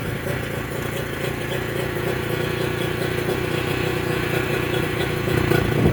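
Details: Mercury 25HP two-stroke outboard in neutral after the Boyesen power reeds are fitted, with the idle being set: steady, even putter with a light rattle and no misses or surging. Normal idle.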